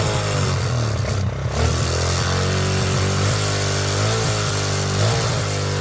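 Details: Suzuki SP125 enduro single, carburetor just refitted after it kept refusing to stay running: revs up and down unevenly, beat hunting instead of settling; rough running and very smoky, owner suspects carburetor needs tuning and too much oil.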